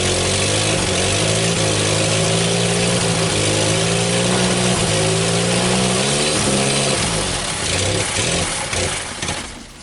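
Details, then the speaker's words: 1974 SEAT 127 three-door, parked since the 1990s, fed from a full petrol bottle on the carburetor: old four-cylinder catches and settles into a steady, even idle with a light rev, no knocks or misses. "Bon maintenant je vais y mettre une bouteille pleine pour voir si on peut garder le ralenti stable pendant un petit moment."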